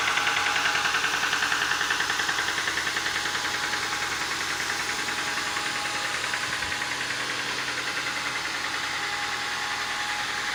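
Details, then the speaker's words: 2015 Ford Mustang 2.3 EcoBoost turbo: a sharp, rapid metallic knock over the idle. Rod knock from cylinder 2, whose connecting rod bearing shells had spun and were found destroyed on teardown. "итак ford mustang 2015 год двигатель 2 и 3 turbo но стучит двигатель так старт"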